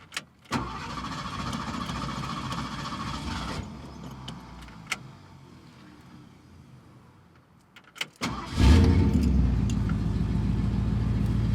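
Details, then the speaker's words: 1969 Ford Mustang Mach 1 V8 starting after period performance parts were fitted: short crank catches cleanly and settles into a strong, steady idle. A faulty solenoid later failed intermittently. "So, hopefully it just works. Come on, baby. Works just fine."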